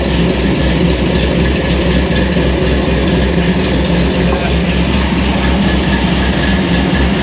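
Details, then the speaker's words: Hot rod V8 idling with a deep, heavy, uneven lumpy beat under a low rumble; fuel was recently taken out and it now won't idle well, transmission about 1.5 L low; cause of the rough idle not found. "It's running not great. I took some fuel out of it. Now it doesn't want to idle the most."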